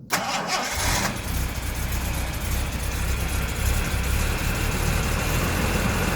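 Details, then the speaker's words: 1973 Daimler Sovereign Series 1 (Jaguar XJ6) 4.2 straight-six, first cold start after months sitting, carbs full, no throttle pumping: short crank, catches at once and settles into a steady even idle on choke; healthy cold start. "you go she's away he's on choker the minute but that's one nineteen seventy-four Xcode 4.2 engines online when she's cold he's lovely"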